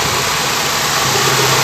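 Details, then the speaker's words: Gen 2 Toyota Corolla twincam liftback: smooth steady hum, engine revved with no knocks, rattles or other noises, mounts steady without shaking; normal idle. "Coba kita masih halus ya Kalau ada masalah pada mesin biasanya ketika dicas ada meletek atau suara-suara lain tapi ini benar-benar alus"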